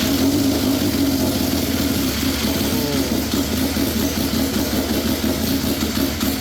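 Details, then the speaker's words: Yamaha triple snowmobile engine swapped into a Polaris RZR XP, straight-piped, front engine mount not yet fitted: steady, even idle with raspy open-pipe tone, no knocks or misses; fuel pressure possibly a little low; normal idle. "I kind of like the sound of it you know it's not super loud being straight piped it sounds awesome yes it does"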